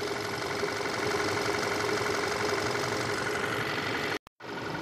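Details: 2014 Volkswagen Tiguan 2.0 TSI idling during cooling system drain, fill and bleed, with the cooling fans on and coolant flowing steadily; even, smooth idle with a faint fan whir, healthy.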